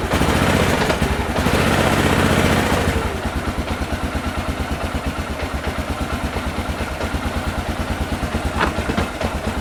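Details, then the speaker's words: 2001 Honda Rincon ATV, sat over two years, cold and taken off choke: brief rev then quick pulsing idle that stumbles slightly; rough running when cold, choke put back on. "try to get some oh she's hitting a little rough let's put it back on Chun little"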